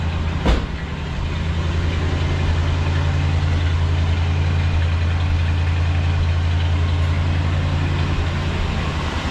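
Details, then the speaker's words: 1966 Ford Galaxie 500, 352 4V carbureted V8, true cold start at 47°F after three months unstarted, in neutral warming up: steady even low idle, smooth beat, no knocks or misses; runs healthy. "It sounds good. For being sitting for all those months, it sounds really good."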